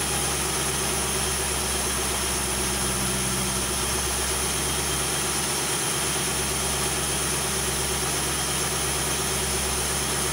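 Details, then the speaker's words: 2001 Ford Crown Victoria after replacing broken timing chain guides: steady, even idle, no rattle or slapping from the front of the engine; runs smooth and healthy. "This is the update on the timing chain repair. I'm gonna go ahead and start it up so you can hear it."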